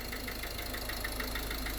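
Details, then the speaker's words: Ford Connect 1.8 diesel (2015) idling: sharp regular tap about six a second over the diesel clatter, a suspected piston knock. Oscilloscope with directional and piezo microphones shows the biggest impulse opposite one cylinder; cylinder isolation still needed to rule out an injector. "мы можем утверждать что стучит у нас именно этот целина"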